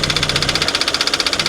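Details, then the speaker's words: Vehicle at a salvage auction: fast, even tapping over the idle with a raspy, breathy edge, an internal knock with heavy blow-by and significant engine damage; no exhaust smoke, and the engine needs replacing. "wow yeah we got a lot of blow by we got some some pretty significant engine damage"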